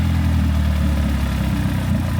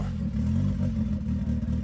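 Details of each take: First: Abandoned turbo Honda Civic after replacing a leaking turbo air valve: steady even idle and clean throttle blips, pitch rising and falling smoothly, no misfire or stumble; AFR about 12.8; normal running. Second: Abandoned turbo Honda Civic idling after vacuum-line changes stopped stalling: uneven, lumpy beat with some clatter; AFR gauge pegged at 10.0, far too rich, likely not enough air from the turbo side.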